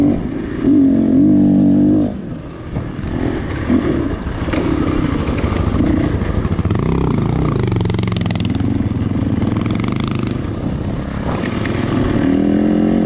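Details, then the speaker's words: GPX 450 dual-sport bike on a ride: engine note sags and stumbles a few times pulling through the revs; bogging because the air filter was getting badly clogged, worsening through the day. "You might hear the bike bogging a few times, and I come to find out that the air filter was getting really clogged up, and later on through the day it just continued to get worse and worse."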